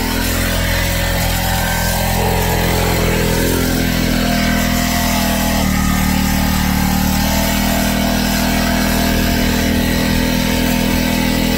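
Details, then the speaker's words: Neglected tiller, sat two years, with a bad carburetor, running under load: loud labouring single-cylinder chug with uneven knock and a pitch shift, then a big clunk and oil everywhere. Catastrophic engine failure. "why is there oil everywhere what was that big clunk I guess I don't have to buy a carburetor"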